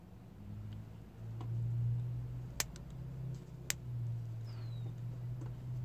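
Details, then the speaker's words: Marine Prestolite distributor, key on so the coil is powered, base loosened and turned by hand: two crisp snaps about a second apart over a low hum as the notches line up. The electronic pickup is triggering normally. "I'm going to be extra quiet now so you can hear the pickup sound every time it makes a contact"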